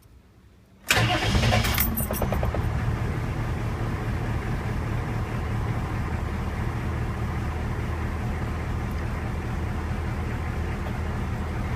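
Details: CUCV diesel truck after the Doghead starter relay mod with everything bolted back up: short crank, catches within a second and settles into a steady, even diesel idle; normal start and idle.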